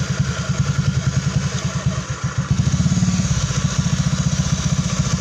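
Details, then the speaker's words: Honda Beat scooter, after repair of a jingling rattle in the CVT area first suspected as gearbox; cause was the clutch-lining retaining plate; now an even, steady idle putter with no jingle or rattle. "nah untuk suara kemericik di bagian sini Alhamdulillah udah sembuh ya teman-teman"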